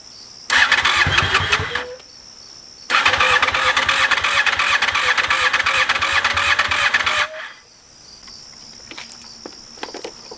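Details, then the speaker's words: 2001 Honda VFR Interceptor (Gen 5), first start attempt in eight years after barn storage; fresh fuel, fuel pump primes, weak battery so on jump box; two fast cranking bursts, whir speeding slightly, never fires. "uh got some gas in it uh learned some valuable things so it it uh cranks over"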